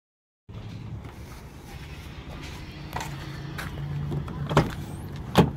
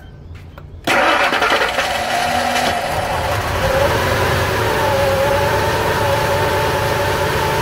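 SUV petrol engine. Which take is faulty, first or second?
second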